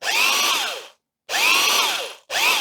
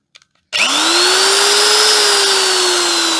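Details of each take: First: Old dirty double-insulated corded electric drill from a shed clean-out: three short bursts whose whine climbs and sags, like a tight motor straining on its bearings; it runs but stiff and labouring, judged unlikely to last and scrapped. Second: Vintage double-insulated electric drill with a replacement cord, tested for safety: the motor spins up to a strong, steady whine and winds down smoothly without grinding or rattling, with plenty of torque. Normal drill run.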